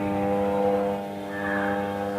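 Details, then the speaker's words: Crompton High Flo table fan, complaint of slow running and noise, first then second speed: loud steady drone with low hum while blades barely turn or don't turn; worn motor bush dragging the shaft. "ஃேன் ஓடல. Sound மட்டும் வருது. Second speed [இசை] லேசா சுத்துது. ஆனா sound அதிகமா இருக்கு."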